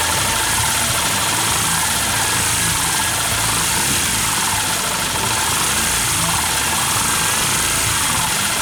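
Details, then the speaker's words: Yamaha New Vixion motorcycle idling after rocker arm parts were replaced and the valves were adjusted tight: fast light ticking over a steady busy idle from the top end; valve train ticking persists, so valves, timing chain and tensioner are to be replaced next. "Dan ternyata sama aja, udah setel rapat, tetap gelitik."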